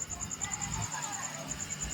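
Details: Tower Bluetooth speaker: thin, very high chirp repeating about eleven times a second over a quiet background; chirping fault, cause unknown, memory card socket pins found soldered.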